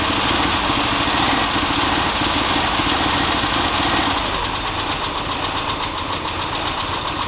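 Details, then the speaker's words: 2002 Subaru Forester SG9 with an EJ25 at idle: an uneven, stumbling beat with a steady skip in the exhaust pulses. A major misfire; a compression test confirmed complete loss of compression in cylinder 3. "so I'm going to go ahead and start it up so that you can hit running in its current condition we'll go ahead and do a compression test to confirm that that is the fault"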